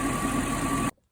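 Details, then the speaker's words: Mercedes E420 after the noisy-lifter fix, original cam oil tubes kept: smooth, even idle with a steady hum, only injectors audible, no valvetrain tick. "overall I mean she sounds really good actually the only thing you really hear is the injectors I don't really hear any tick at all"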